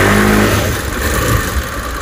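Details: Honda Spacy 110 scooter after an engine block replacement: a short, strong rev that climbs cleanly with no rattle or misfire and sounds healthy. The new block gives a slight noise at first start, expected to fade with use.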